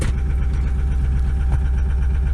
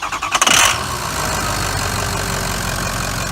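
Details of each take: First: Ford F550 Lariat 6.0 PowerStroke diesel, manual, cold start with battery near 10.5 V: deep, lumpy, shaking misfiring idle; owner attributes it to very cold injectors barely running, smoking. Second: Ford F550 Lariat 6.0 PowerStroke, manual, after rebuild with fresh engine, turbo, harness and balanced injectors: catches quickly and settles into a smooth, steady diesel idle with no knocks or misses.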